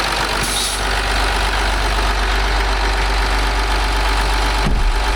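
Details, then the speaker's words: 2008 Land Rover Discovery 3 TDV6 rebuild, first successful start after trigger wheel fix, engine uncovered, cooling fan missing: steady, even idle with loud raw diesel clatter and deep low rumble, no misses or vibration. "And it sounds awesome. I mean, there's noise, no noise vibration, nothing here because it's missing actually."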